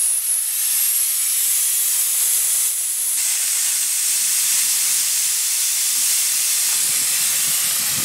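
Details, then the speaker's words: School bus air brake system: auxiliary air tank manually drained, a loud, sharp, steady hiss of air rushing out for several seconds, also blasting out any water in the tank; normal tank drain. "it also releases any uh water that might be present in the tank and blast it out as well"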